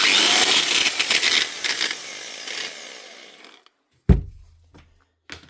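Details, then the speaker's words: Old, worn Bosch GWS 6-115 angle grinder before repair; spins up with a harsh, uneven rasp and scratchy roughness, sticking, then coasts down; worn bearings, fixed with new bearings and brushes. "This ain't sounding good. It's actually sticking there as well. It doesn't sound good, it doesn't look good, it doesn't feel good, but it can still be fixed."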